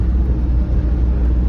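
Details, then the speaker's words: Old Ford F100 junkyard pickup, manual transmission, after brake repair, on first drive: deep, smooth low rumble holding steady with no ticks or knocks; the V8 runs great, normal idle. "oh man dude this thing's a cruiser man I mean Run's great"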